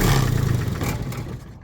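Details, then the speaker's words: Allmand Nightlight Pro 2 light tower diesel that cranked but wouldn't start, run with the shutoff solenoid disconnected: steady clatter then shut off, proving fuel is fine and the fault is electrical. "So, if you got it disconnected like this and it starts up and runs, that means the problem is electrical. It's not fuel because it's actually running."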